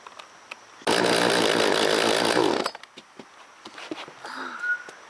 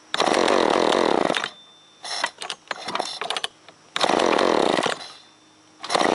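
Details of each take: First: Old two-stroke chainsaw, not run in over a year, primed with fuel: fires and revs hard for about two seconds then drops away; crisp, even firing, running. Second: Chainsaw that fouls and wets its plugs quickly (ran Sunday, then died), restarted on choke with trigger in: it kicks, then revs in rough, uneven bursts and stumbles between pulls, lacking power. Spark and fuel to be checked; cause unconfirmed.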